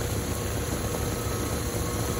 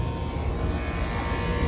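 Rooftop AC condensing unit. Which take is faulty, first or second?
second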